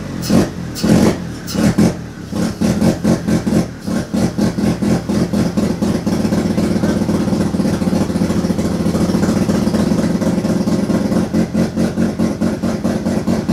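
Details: Turbo II FB RX7 rotary engine on its first real run, after leading/trailing coil checks; lumpy, uneven firing with sharp revving blips settling into a ragged, untimed idle, smoking out the garage. Rough running on first start.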